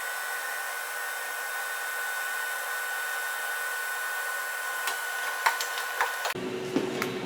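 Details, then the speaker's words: Webasto 90ST preheater on a Ponsse Buffalo, before cleaning, in a 65-degree shop, about 2-minute start cycle: steady fan whir for several seconds, then cuts off into clicks; normal start cycle. "FYI, it is about a 2-minute start cycle on these things, on most all of them. With exception, there's the fuel pump kicking in."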